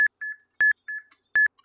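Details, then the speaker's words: Desktop card scanner feeding a stack of about 15 trading cards into a cardboard catcher: clean mid-high beeps in repeating pairs about every three-quarters of a second as each card feeds, normal (beeping can be turned off). "it's going to go ahead and dump those into our catch and you'll hear that beeping you can turn that off"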